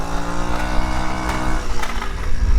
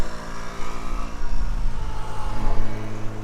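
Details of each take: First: Tao Tao 50cc scooter that previously wouldn't stay running as the float bowl emptied, now possibly fixed by a slightly-off valve being corrected: steady, even low hum without stumbling or cutting out; normal running. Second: Tao Tao 50cc scooter being ridden: flat, strained drone that won't climb with throttle, engine bogging out completely under load; cause not confirmed.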